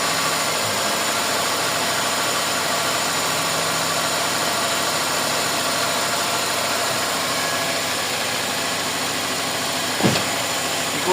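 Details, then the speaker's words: Toyota Corolla GLI 4A-FE engine with idle and misfire complaint, previously worked on elsewhere, new distributor: fast, even, steady idle running too high; mechanic suspects prior incorrect work is causing the high idle. "Tsaka mali oh. Mali yung ginawa rito oh. Ah kaya siguro lang mataas."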